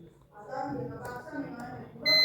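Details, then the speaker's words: 15-year-old fridge thermostat switched on and tested with a clamp meter set to continuity: a steady, high beep lasting about a third of a second shows the thermostat closes and passes current to the compressor, so the thermostat is good. "Beep की आवाज आ रही है इसका मतलब सही है thermostat हमारा सही है थर्मोस्टेट करंट को दे रहा है"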